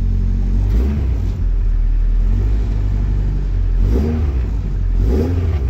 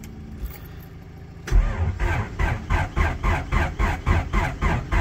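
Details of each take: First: Classic Mini with a Honda B16 VTEC engine, started and left running to charge the battery: a deep, steady note that climbs cleanly on two quick blips and settles back. Healthy running with no knocks or rattles. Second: Mini with a Honda B16 VTEC engine, after steering column rebuild: the starter churns in even pulses but the engine won't fire because the battery is flat; the fuel pump is working.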